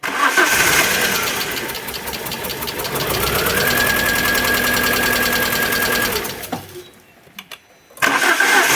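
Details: Alfa Romeo 147 Twin Spark that arrived by tow truck with misfires, very rough idle and hard starting: uneven starter cranking, about three pulses a second, with one weak stroke; low compression in one cylinder suspected, not confirmed.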